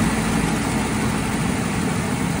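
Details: Engine whose cracked block was repaired with JB Weld, started after the battery had charged for a week: heavy, steady low rumble with an even beat and no knocking; running smoothly so far.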